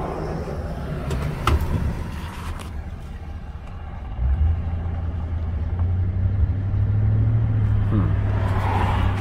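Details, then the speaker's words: 2000–2007 GM truck with 4.8, 5.3 or 6.0 V8: erratic tinny rattle over the engine rumble on acceleration forward or braking in reverse. A worn or broken starter shift fork lets the starter drive slide into the spinning flywheel teeth. "i think it's the starter drive walking back into the flywheel teeth that's what i think i think the shift fork in the starter is is actually worn and the starter drive is touching the flywheel teeth"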